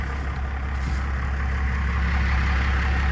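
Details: Diesel after replacing the throttle linkage ends, before adjusting the idle screw: deep, slow, lumpy idle with steady loping beats and no stumble at about 300 rpm; idle set too low and needs raising.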